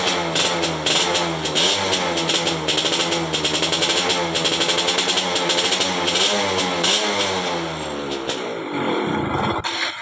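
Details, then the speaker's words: Yamaha F1ZR two-stroke, 2004, which would not stop with the key off; after the broken black ground (negative) wire was reconnected it revs up, idles, then dies cleanly when switched off: normal running and shutdown after repair. "Ya, kunci kontaknya sudah bisa dimatikan. Ini kabelnya tadi yang putus."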